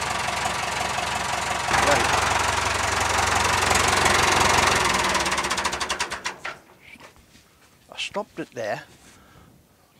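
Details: 990 diesel after a cylinder head and valve seat rebuild, warm, idling about six seconds before shutoff; oil weeps from an unfitted gasket. Even, steady clatter, a sound, healthy running engine.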